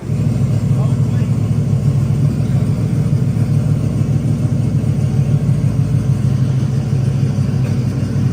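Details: Truck that had no spark after a 16-volt conversion, with a loose wiring connector end found: deep, steady engine run with an even low rumble and no misses or knocks; running properly.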